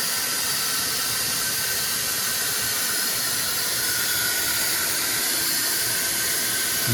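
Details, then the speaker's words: R53 Mini Cooper on jack stands, shop vac blowing back into the exhaust to locate a leak: a steady airy hiss. The leak is felt low, past the flex pipe toward the catalytic converter. Exhaust leak. "W drive back is on let start the front end well I'm hearing air hearing a lot of air"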